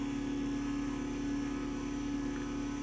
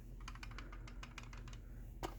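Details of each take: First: 20-year-old, heavily used garage door opener: smooth, quiet steady motor hum with no knocks or grinding, easing off and stopping with a soft clunk; quieter than a brand-new DC belt-drive opener. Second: Brand-new September 2023 Chamberlain garage door remote shaken: light, irregular plastic clicking as loosely clipped case halves rattle, unlike a tight 2016 LiftMaster remote of the same kind; loose remote casing.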